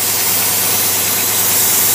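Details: Pontiac Carter AFB carburetor tested on a running engine: loud spray hiss sits over a steady idle that never dips or hunts while the throttle shafts are sprayed, so there is no vacuum leak there.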